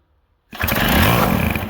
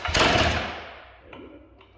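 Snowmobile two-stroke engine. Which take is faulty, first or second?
first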